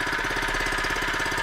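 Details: Harbor Freight small single-cylinder engine, freshly set up with oil: fast, even firing beat with steady rhythm; a healthy small engine running smoothly.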